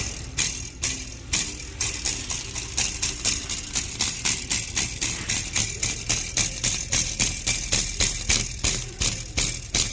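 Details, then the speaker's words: 2020 Ford Explorer ST: quick tinny metallic rattles, nearly four a second, over low idle as the exhaust flex pipe bellows knock together when touched; TSB clamp does not fix it. "It's the pipe, the flex, the bellows, the accordion looking deal here bouncing off of each other. The clamp that they put over it does not fix the sound."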